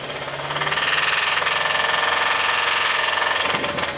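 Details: 2006 Mazda 3, 2.3L engine, microphone on top of the engine, injector balance test while revving: a hard steady knock with no change when injector four is cut. The knock disappears at 3,000 rpm with cylinder one cut, suggesting a cylinder-one rod knock.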